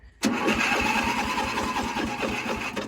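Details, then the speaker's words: 55-year-old Montgomery Ward lawn tractor, on full choke, battery charged with a 12-volt marine charger: labored cranking at about five thumps a second that slows toward the end; weak battery, though it then starts and runs. "Oh, we're low on electricity again. Oh, baby, she runs. She runs good, too."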